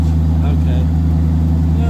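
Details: 1982 Ford Granada coupe idling with a loud, deep, bass-heavy drone from two significant exhaust leaks under the car at rotted flanges needing repair flanges.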